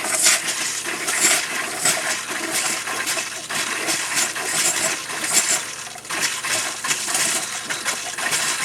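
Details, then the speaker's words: Camper shower with new Surflo 4008 pump, camper unused about 3 years: irregular spitting, hissing bursts about once a second as pressure builds then dies. Sputtering flow; owner suspects air or debris in the lines. "it's not really really got a ton of pressure it builds pressure then it goes dead again builds pressure and goes dead"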